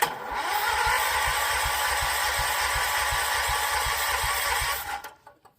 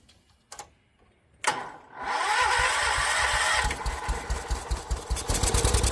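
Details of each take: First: John Deere 314 garden tractor with freshly rebuilt Kohler K321 single-cylinder engine, first crank: steady, even cranking about three and a half beats per second with no firing; fuel not yet reaching the carburettor, later fired with carb cleaner. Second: John Deere 314 garden tractor, Kohler K321 single-cylinder engine after a full rebuild, was burning oil: it catches and settles into a steady, even thumping idle with no knock or misfire as it warms up; runs fine.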